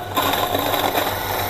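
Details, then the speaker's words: JX-700 coffee grinder calibration, switched on while adjusting at about 8.4: steady motor whir with fine gritty rasp as burrs just touch, marking zero point; older burrs need tighter setting. "kedengeran suara Ubur sama bur kedengeran tuh bersatu"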